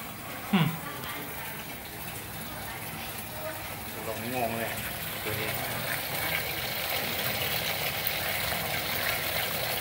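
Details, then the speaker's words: Hitachi SF-80H top-load washer, fault of not shutting off water. Steady rushing hiss of water into the tub that never stops past set level: inlet keeps refilling. "ตัวนี้เปลี่ยนวาวระดับน้ำเปลี่ยนแล้วมั้งเติมน้ำอีกแล้ว"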